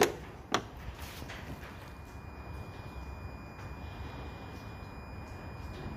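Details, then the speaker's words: 2008 Peugeot 308 with a depollution system fault (codes P0489, P1162, P0405), EGR valve actuated via diagnostics: sharp clicks then faint uneven ticking. The EGR valve motor works only intermittently and is to be removed. "I can hear it clicking, I'm just trying to feel where it is. Seems like this unit here."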